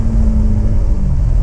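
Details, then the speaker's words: BMW E92 M3 S65 V8 driving after replacing the exhaust manifolds (headers) that had caused permanent limp mode since a track day, car sat nine months: deep smooth even V8 pull, no ticks, rattles or exhaust leak puffing; healthy after repair. "Oh, the noise. I've been driving a car with just over 200 horsepower, and I got used to it."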